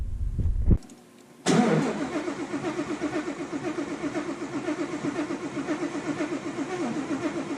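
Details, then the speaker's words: Widebody Fox Body with cammed built Coyote V8, ported Boss 302 heads, Whipple Cobra Jet supercharger, first start after tune changed injector size from 47 lb to 120 lb: short crank, catches, lopes and surges roughly once a second, stumbling; owner suspects flooding or timing. "it sounds rowdy it also sounds kind of pissed so hopefully the timing on the motor's right we'll see I wonder why it's doing that I think it's flooding actually"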